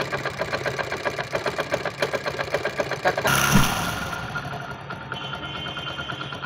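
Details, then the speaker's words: 1999 Hero Honda Splendor Plus single-cylinder, after magneto-side repair of engine noise: even idle about four beats a second, no rubbing or scraping, engine running free; normal idle. "अब आप देख सकते हो बिल्कुल office नहीं आ रहा है इन जो है वह बिल्कुल फ्री चल रहा है"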